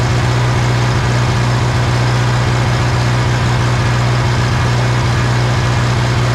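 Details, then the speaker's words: 1960 John Deere 1010 diesel after engine rebuild, just after adjusting injection pump timing to cure smoking: deep, steady chug with an even low beat, no knocks or misses; running great. "wow that made a big difference look at that that is what I wanted to see that is running great"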